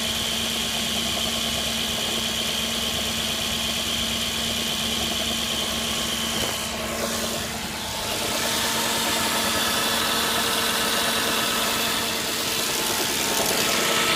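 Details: 2006 Audi A6 at idle: a fine, busy metallic rattle rides above the exhaust note; the owner says the timing chain rattle has gotten worse or changed, but the cause is unconfirmed.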